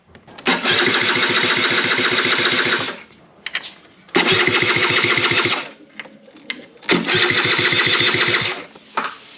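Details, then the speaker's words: SR50 scooter with long-running no-spark problem, ECU and coil already swapped, battery voltage getting low: three bursts of quick, even starter cranking with chuffing that never catches; cranks but won't start. "crank it over without that 7.5 it feels like it's spinning over just fine okay i think i think now the voltage is low and it's not spinning over that strong"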